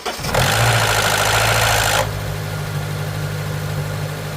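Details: Honda K24A with code P0011, first cold start of the day: loud, harsh metallic rattle for about two seconds, then a steady idle; VTC actuator, timing chain tensioner wear or low startup oil pressure suspected.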